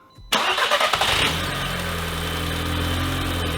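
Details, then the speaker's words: Audi TTS swap project, started after the key was programmed and the oil pan patched with JB Weld: quick cranking, then a smooth steady idle; it runs and stays running. "It runs and it doesn't shut off."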